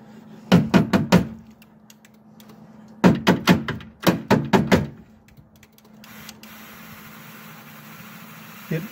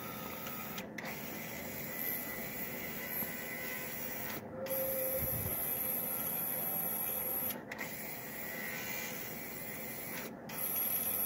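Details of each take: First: 2000 Ford Expedition power window motor, removed and run on the bench: it hums but stalls in short bursts of four or five clunks instead of turning freely. The motor is binding and getting very warm, with something stuck inside. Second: 2000 Ford Expedition power window motor, freed up and refitted: an even whir in both directions, with short pauses at each reversal and no binding, grinding or labouring. The motor now runs smoothly and no longer overheats.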